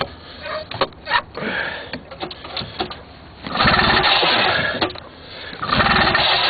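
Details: 1976 Ski-Doo Everest 440 two-stroke, Mikuni carburetor, unrun 12–15 years, lean-burned left piston, dead battery, primed: repeated pull-start bursts, brief sputtering catch that dies each time; cranks but won't start.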